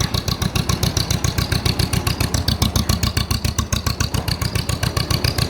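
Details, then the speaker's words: Restored 1948/1949 John Deere M two-cylinder tractor just after start, reproduction original-style muffler; loud even put-put around eight beats a second, no skips; running healthy. "muffler on this tractor is a accurate reproduction of what it was sounded like when it was new it's quite loud but it sounds really good"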